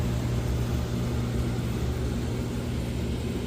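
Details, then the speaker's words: Central AC condenser after capacitor and fuse replacement following a power surge that stopped it. Steady low hum with constant motor drone and fan rush, no clicking, buzzing or stalling; normal running, house cool again. "and as you can hear, it's working. It's running literally. So yeah, my house is cool as it's supposed to be, and everything is perfect."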